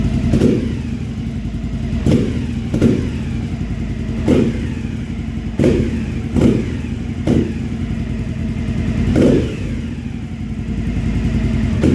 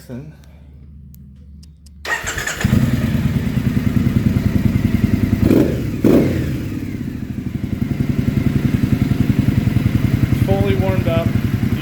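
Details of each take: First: 2015 Triumph Speedmaster EFI after AIR system removal, idling about two minutes with no check engine light: revving brings a few sharp exhaust pops, far fewer than before; throttle response slightly better. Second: 2015 Triumph Speedmaster EFI twin, warm after a ride, idling after AIR system removal: even, loping idle with steady exhaust pulses and no popping or crackle on deceleration; running cleanly, no check engine light.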